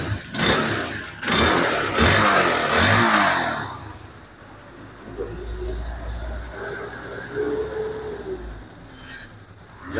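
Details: Honda CB150R with starter that only clicked despite normal battery, after starter motor repair and reinstallation: a few quick starter presses, then the single catches and settles into a soft, even idle; normal electric start.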